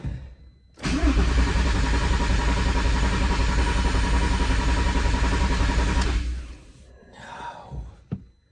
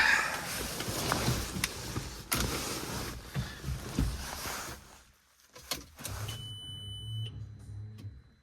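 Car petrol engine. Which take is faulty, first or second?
first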